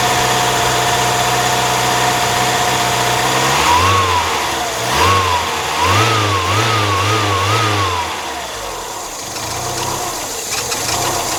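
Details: 1997 Mazda MX-5 Miata, microphone on the radiator, idling after start: a steady hum, then engine speed hunts up and down in a repeating wavy surge; abnormal idle, owner asking for diagnosis, cause unknown.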